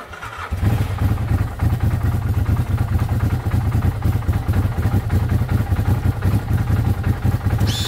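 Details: 2012 Arctic Cat Wildcat 1000 after replacing the melted main ignition fuse, intermittent clicking from a suspected fuse-box ground issue: brief crank, quick catch, steady even low thumping run with no misses; starts and runs normally.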